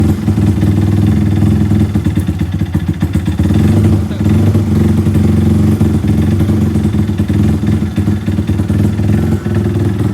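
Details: Yamaha LC135/Y15 engine at a loud idle with a rough, shaky low-end clatter; the engine keeps shaking and makes an abnormal noise. Cause not confirmed.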